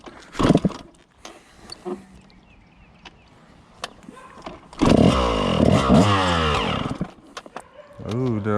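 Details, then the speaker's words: 2000 Suzuki RM125 two-stroke after carb cleaning and tuning, pulling away easy in first and second: flat, muffled crackly bursts that stumble and bog as throttle opens at mid throttle; owner plans smaller jets; cause suspected. "ah but yeah she still got some hesitation to her um a mid throttle so right there uh I don't want to go up too much more on the needle so I'll probably downsize the Jets"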